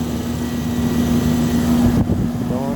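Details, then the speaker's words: Old York air conditioner condenser at a preschool, running after being rewired: steady, even hum with smooth fan rush, no rattles or cycling; suction line cold, running normally. "Well, look like we got it going. We down here the preschool. It's running."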